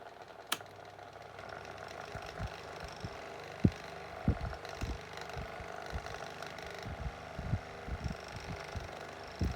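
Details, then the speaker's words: Micromark retro fan after servicing, running on low and high speed: steady hum with loose, uneven knocks about every half second; slight rattle remains though better than before. "I know it's still got a slight bit of rattling to it, but don't think it's as bad as it was."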